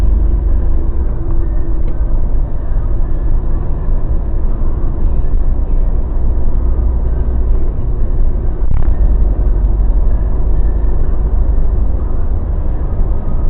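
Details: Mazda BT50 pickup driving after the fix (upper ball joint replaced, fresh differential oil, following earlier drive shaft cross joint and center bearing work): low steady road rumble, no clunks, cracks or grinding; drivetrain sounds healthy.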